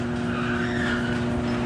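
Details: Newly installed garage door opener running after power-up while its travel limits are set: constant motor hum with a whirring drone that swells slightly as the door travels, no grinding or clunks; normal operation.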